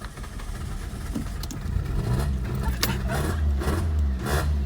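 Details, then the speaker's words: Car started just after pressure-washing the engine bay, with wet injector connectors dried and reconnected: starter churns, then the engine catches unevenly with ragged firing before settling toward a steadier idle; rough start, fine days later. "[Music] let's go well it started bit of a rough start but it song that sounds like pretty normal man so and it started it was a very very rough start but you know the cars on"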